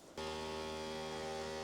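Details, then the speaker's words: Newly custom water-cooled PC with the loop running; a steady low buzzing hum with a ringing mid tone; the vibration comes from a fan that is too loose. "This fan is too loose and it's causing some crazy vibration issues."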